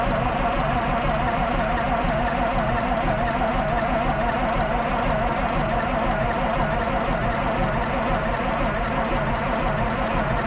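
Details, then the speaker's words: 1973 Peterbilt 352 cabover, 12V71 Detroit Diesel, sitting since 1986, cranking on 24 volts after the fix: fast even churn that never catches; early smoke and oil pressure, then no smoke, batteries draining; owner suspects a fuel problem. "so she's draining these batteries quick it's not helpful all right if you notice we're not getting smoked no more i think we got a fueling problem"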